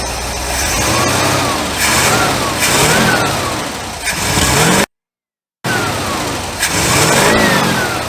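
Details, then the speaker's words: IH LB 3–5 hp engine on a sorghum press with a hanging carburetor float flooding it, gas dripping and shooting from the vent; revs surge and hunt unevenly with no steady idle, still running rough. "by George I think we've got it uh float was hanging there was gas drippi"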